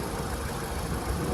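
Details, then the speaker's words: 2005 VW Golf Mk5 1.6 FSI idling after replacing spark plugs and a coil pack for a P0302 misfire: even, steady low idle with no stumbles or uneven beats; the earlier rough idle and misfire are gone, normal idle. "oh yes that is smooth again let's just give you a couple of seconds but that misfire has definitely gone alhamdulillah"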